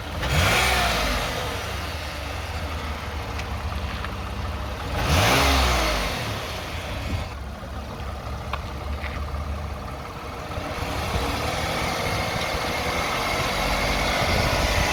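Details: 2009 Toyota Sienna idling with two short revs: coarse buzzing rattle from the transmission area rising with revs; suspected torque converter, transmission pump or flex plate and bolts, unconfirmed.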